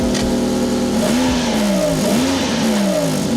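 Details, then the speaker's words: 1999 Toyota Corolla G6 petrol engine at idle, smooth with steady revs and no ticking or knocking, but loud and raspy from a huge exhaust leak under the car, escaping through a hole beneath the door area; exhaust needs replacing. "but the main thing is we can hear is there's a huge exhaust leak coming from under the car"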